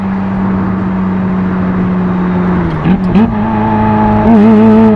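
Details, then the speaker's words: 1994 Euro-spec Ferrari F355 GTS, 78,000 miles, flat-plane-crank V8, gated 6-speed, Capristo exhaust opened, high-flow cats, warm: strong clean exhaust note building smoothly under hard acceleration with a quick gear change; healthy. "You got the gated 6-speed. You got that flat plane crank just screaming. It's how Ferrari meant for it."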